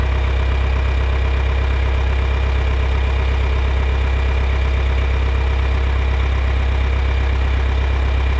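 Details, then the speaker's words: Old John Deere 3010 propane tractor that sat a while, just started with choke and a little throttle, warming up: steady, even low idle with a smooth deep beat, no knocks or misses; oil pressure up, generator charging. "So, it's fired up. Got oil pressure. Generator is charging now."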